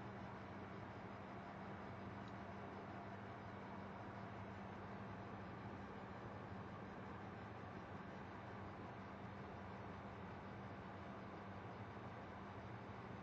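A quiet, steady low buzz with a constant hum that never changes pitch or level; the source inside the computer is unknown.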